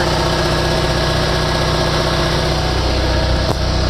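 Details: RevCon diesel genset, converted from propane: steady, even diesel drone at constant speed with no knocks, misses or surging; running normally.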